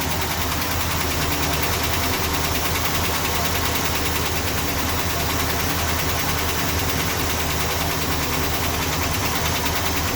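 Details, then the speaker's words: Freshly rebuilt Chrysler 440 Mopar V8 at cold idle after the lifters were removed, cleaned and refitted; fast even ticking that follows engine speed, now from two lifters rather than one. Lifters seem not to pump up, cam lobe also suspected. "I look like warm up and I'll come back still chattering away but now it sounds like this two rather than one so obviously I don't think they fill up"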